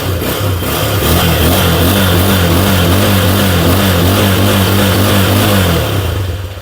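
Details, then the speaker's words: Dion 150 motorcycle after cam chain tensioner replacement: smooth rising and falling revs with a clean, even exhaust note and no top-end knocking; engine back to normal. "y el motor volvió a la normalidad y la reparación era tan sencillo como cambiar el tensor de la cadenilla"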